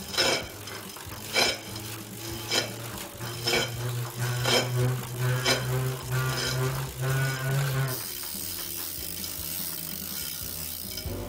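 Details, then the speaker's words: Tacx Neo series trainer: sharp metallic clicks about once a second over a low motor hum, likely a faulty hub axle in the center of the motor brake; support service repair advised. "it might be because there's a problem with the Hub axle in the center of the motor brake it's difficult to fix on your own so it's best to get help from Garmin support center"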